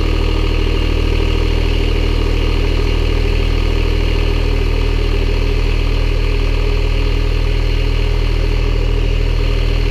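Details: Farm skid loader diesel just after repair and antifreeze refill, running while watched for leaks: steady, even idle with a smooth low rumble and regular firing, no knocks or misses; sounds healthy.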